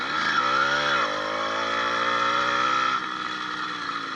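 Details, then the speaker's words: 80cc motorized bicycle two-stroke with new piston, unbroken-in rings and upgraded needle wrist pin bearing, riding uphill around 26–28 mph: crisp, even buzz rising with throttle, no rattle or former pinging; running healthy. "i'm surprised actually um that the smaller wrist pin bearing is working better than that large cage and you can hear the motor sounds really really well"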